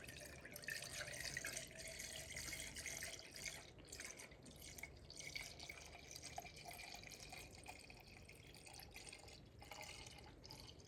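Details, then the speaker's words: Ford/Lincoln 3.5 V6 after in-car timing-chain-driven water pump replacement, refilling coolant: continuous trickling and splashing under the car as coolant runs straight out of the radiator drain, which was left open. "I heard a sound, and I know what the sound is. That sound was the drain for the radiator still being open. So always check your drains."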